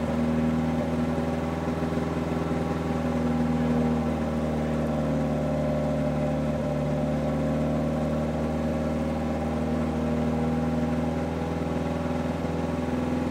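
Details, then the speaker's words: Engine first start on a new 3D-printed individual-throttle-body intake manifold with no idle valve hooked up, O2 sensor warmed; steady low idle with a slightly uneven pulse, rough idle expected from the missing idle valve. "Moment of Truth if it starts at all I know that it's not going to idle very well because there's no idle valve hooked up"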